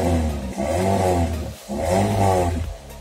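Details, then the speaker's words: Toyota Yaris that would not crank (old battery about 5% health) after installing new maintenance-free battery: engine starts easily and revs cleanly twice, rising and falling smoothly with no stumble; battery was the fault, runs fine. "Yo, enteng tenan lho akine anyar kok."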